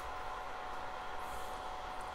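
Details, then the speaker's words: Unimat SL-1000 lathe upgraded to a 150 W DC motor with a PWM speed controller, first power-up turning counterclockwise: smooth, steady mid-pitched whir with no knocks or roughness. Normal running. "all right you see it turning it is turning"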